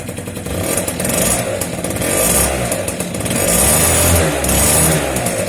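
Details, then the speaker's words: Two-stroke scooter after cutting open its Polini exhaust to remove a loose internal part that rattled like maracas, pipe rejoined and refitted; crisp buzz rising and falling with throttle blips, no rattle: normal running after repair. "Voir si ça fait plus de bruit, voir si ça se voit. On va voir ça. T'as vu, le bruit il reste correct."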